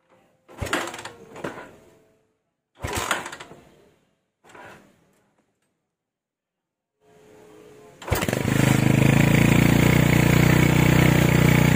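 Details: Honda Tiger stock engine with PWK 28 NGO carburettor after retune (pilot jet 30, GL Pro needle clip raised to top): after several pull attempts it fires and settles into a smooth, stable idle, no hiss or hunting; normal idle.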